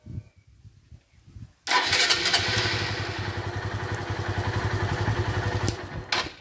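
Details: 2013 Honda Fan 150 motorcycle that wouldn't electric-start, starter switch bypassed with a jumper wire; faint pulses, quick crank, fires and settles into steady, even idle, normal start; fault in starter switch.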